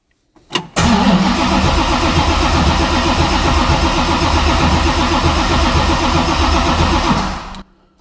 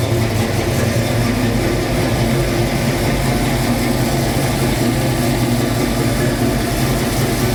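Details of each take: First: 1966 Mustang Fastback, new 347 stroker V8 with T5 transmission, before first start with coil wire disconnected; even starter churn about four compression beats a second for six seconds, no binding or clunks; normal cranking. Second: 1966 Mustang Fastback, new 347 stroker V8 just after first start; loud, steady, fast idle with deep even rumble holding high, owner says carb idle screws need adjusting; fast idle, untuned carburettor.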